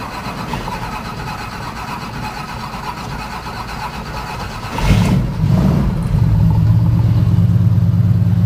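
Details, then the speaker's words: 1972 Ford F-100 cold start after sitting a month on a hot day of about 100°, throttle pumped a couple of times: a few seconds of cranking, then it catches first try and settles into a deep, even V8 idle with no stumbles. "been sitting for a month truck's been sitting for a month cranked over first time sounds good I'll tell you that"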